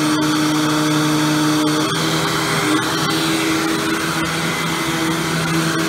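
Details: Hoover WindTunnel Supreme vacuum after replacing the motor with a used matching Maytag motor: steady motor hum with a constant whirring tone, no rubbing or grinding; runs smoothly and sounds healthy.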